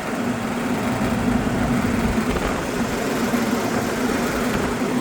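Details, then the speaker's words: Exhaust fan motor rated 3.02 A, drawing 2.0 A, running counterclockwise after being found off at the breaker for an unknown reason: steady hum with even airflow rush and slight vibration, no knocking or squeal. Normal running. "it has a slight vibration but it's not exploding uh it's running in the right direction counterclockwise"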